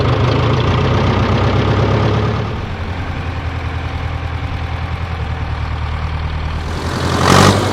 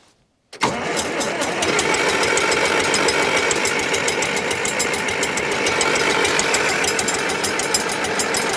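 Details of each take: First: 1968 John Deere 500A diesel tractor (industrial 3020), with owner blaming 10+-year-old fuel for earlier stalling and up-and-down RPM, started on a warmer day after sitting a week: steady low even chug, no misses or knocks; normal idle. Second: 1968 John Deere 500A diesel (industrial 3020) loader tractor parked 10+ years, throttle at half, no ether: steady starter chug about 3.5 turns a second for roughly eleven seconds, exhaust smoking so fuel is getting through, but it never fires.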